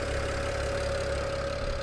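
A smooth, even idle with a steady low hum and a faint constant tone, with no knocks or misses; the engine sounds healthy.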